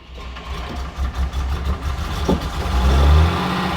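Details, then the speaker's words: Mercedes gullwing after long storage: engine blips and settles into a fairly steady low idle, firing more evenly with slight roughness as old fuel burns off; plugs found wet and carboned up; normal running, improving as old fuel flushes. "That sounds better."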